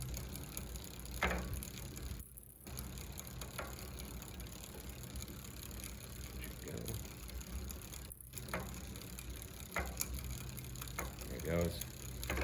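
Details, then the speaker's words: New Velotric electric bike that would not shift from 7th into 6th and 5th, after loosening the barrel adjuster: crisp single clicks as the chain steps across the cogs through third to first and up to sixth, with clean shifts and no grinding; normal gear shifting. "there it goes now it should go into here perfect third second first first second third fourth fifth sixth"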